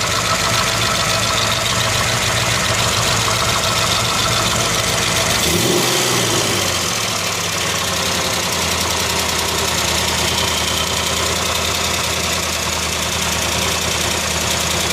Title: Lifter tick